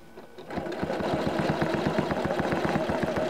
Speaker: okay I've slowed down a little bit you didn't hear any beep beep beep so it seems to be happy with me